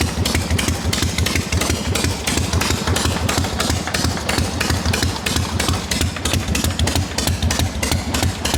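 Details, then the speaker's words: XLCH Harley chopper on bench, fully hot, after loosening an over-tight part that caused noise: steady even V-twin lope about three pulses a second, no extra tapping; normal idle, noise gone. "Everything's good and hot now. I just had that too tight. No more noise."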